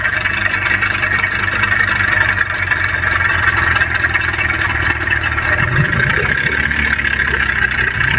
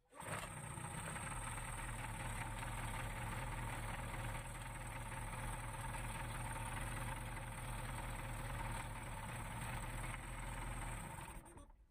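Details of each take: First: Yamaha 15 hp outboard, owner reports rough running, tested before teardown: harsh, rattly, uneven roar instead of a smooth hum. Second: Yamaha 15 hp outboard after repair of rough running, restarted after reassembly with the starter cup refitted: even, steady low drone for about ten seconds without clatter or misses, then cut off; runs smoothly.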